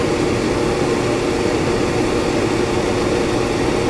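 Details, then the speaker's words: Whynter ARC-14SH 14,000 BTU portable air conditioner in fan-only mode at full fan speed, about 65 dB in a bedroom: steady smooth air rush with low hum, no rattles or scraping; normal fan operation. "first I will run the machine in the a fan only mode that's turned on so this is no fan only and this is full our friend"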